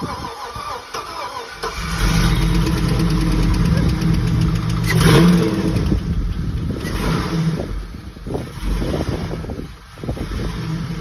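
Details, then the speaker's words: Chevy C10 swapped with a 4.8 LS from an '03 truck, first start after the swap: short crank, catches first try, settles into a deep, steady idle with a couple of blips; sounds pretty good, normal start and idle. "Got this thing running. Sounds pretty good. Didn't really have a whole lot of issue getting it started, so I'm gonna splice in a video of when I started it, and then I'm gonna cut back in."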